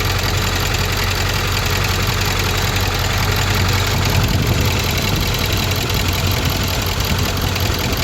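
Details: Ford 6.4 Powerstroke diesel, oil and coolant around 73°, not fully warm (stalled earlier near 80°): warm idle with a steady clattery rattle over the low rumble; rattle, cause not yet clear.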